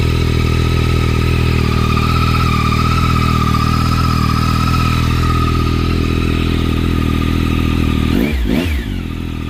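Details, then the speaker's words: Yamaha R9 idling in neutral after DNA stage 2 intake, exhaust and 2WDW ECU flash: loud, even idle with steady pulse, no misfire or hunting, brief blip at end; runs fine, smells a little richer at idle. "Definitely smells a little richer at idle."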